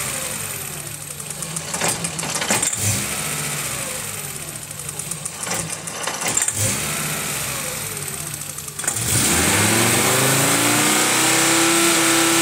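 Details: 1995 VW T4 with 2.5-litre ACU engine at about 87–90 °C, new lambda probe fitted: warm engine stumbles, revs surge and sag with hard dips, then a strained idle; fault starts around 83 °C, cause unclear. Rough running and stalling when warm.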